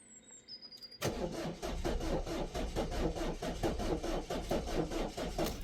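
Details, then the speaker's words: Peugeot/Citroën 1.6 HDi (BHY) with codes P2669 and P2670, on a jump pack: steady starter churning at about one beat per second for five seconds with no firing; cranks but won't start. "So it's not starting."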